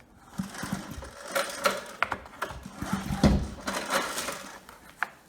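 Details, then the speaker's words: Coleman Powermate Pulse 1850 generator, which surged when last run over a year ago, being recoil-pulled before repair: it turns slowly and stiffly; a dry cylinder or improper storage is suspected. "it's not spinning as freely as I would expect it to be and you know it could just be the the piston is dry the cylinder is dry"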